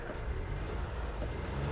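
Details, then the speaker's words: Proton X50 1.5 TGDi three-cylinder engine briefly revved from idle; smooth low note rising freely with no roughness, knock or rattle, and near-zero cabin vibration. "yeah there you go and even as you wrap the engine in idle that is pretty much zero vibration throughout the car"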